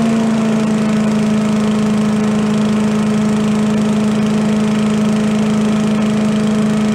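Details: Commercial walk-behind leaf blower after carburetor repair, fixing flooding from a shut-off/needle that wasn't shutting off (plug also suspected), air cleaner refitted: a steady even two-stroke drone with no stumbling or surging, some smoke. Running normally.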